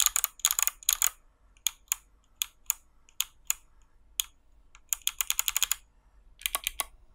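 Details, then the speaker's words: Hot-swap 60% mechanical keyboard built without soldering, 61 keys and lubed stabilizers: crisp, loud key clicks in quick bursts with clean tails and no rattle after the bigger keys. Normal typing sound. "nice and loud as expected this does cover the sound of the snare glasses but you can also hear that there was no rattle because I lived them"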